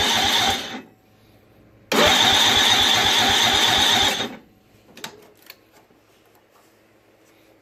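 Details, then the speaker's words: Snapper 25066S riding mower, 6HP Tecumseh engine, after rat-chewed magneto replaced and new battery; carb cleaner sprayed in, choke stuck open; two bursts of fast, even rhythmic starter cranking that never catch: cranks but won't start. "but you know what man I'm gonna try and blow some carp cleaner in there and and just give it a crank and see if it'll turn over"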